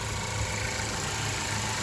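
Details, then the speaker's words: Smooth, even idle with steady low hum from a 2012 Ford Focus petrol engine after engine mount replacement; previously rough idle and vibration when revving; normal idle. "There's the completed engine mount. Everything's in its place. Everything sounds good."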